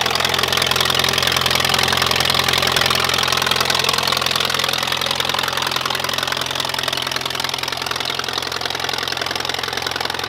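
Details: 1951 Allis Chalmers WD tractor running after first start in an estimated 10 years or more, new coil and points fitted; even, steady beat of about three and a half pulses a second with no misses or stumbles, normal running.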